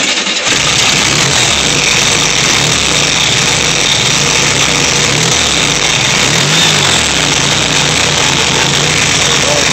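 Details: Type 3 VW 1600 cc single-port air-cooled flat-four, first start after rebuild: steady, even beat with lots of fan hiss, no misses or knocks, running cleanly at fast idle after an earlier backfire.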